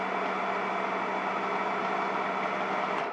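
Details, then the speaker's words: Graco TrueCoat Pro 2 paint sprayer: steady low electric buzz with thin soft hum, then winding down; one of two units, seemed lower powered and quieter from the start, sprays less forcefully, later stopped spraying after cleaning; weak pump motor. "the one that sounds a little weak when I use it and actually upon cleaning it out yesterday it stopped spraying so I have to take this one back into the shop"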